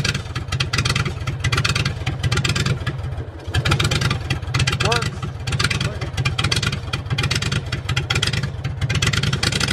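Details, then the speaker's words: Generator in a school bus motorhome conversion with muffler visibly disconnected; loud, rapid, raw Harley-like popping bark at a steady idle, very harsh and open: loud exhaust, muffler disconnected. "okay we're getting ready to fire up Mah Harley again that's what it sounds like without the muffler connected you can see that the muffler is not connected there all right you ready uhhuh"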